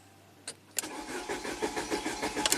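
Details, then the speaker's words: 1993 Saab 9000 CSE Turbo, ECM found flooded with water; it keeps blowing the fuse with a dead short to ground. The starter cranks in even pulses but the engine never fires, a crank no-start from a failed engine computer. "that's too funny and obviously the fuse is blown so yeah this computer is definitely junk"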